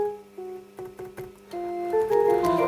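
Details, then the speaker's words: Gibson 101 combo organ on the bench after keying repairs, switched on: steady low mains hum under the notes, which shouldn't be there; not caused by the faulty output-jack adapter. "well you can hear that but there's a definite Mains hum"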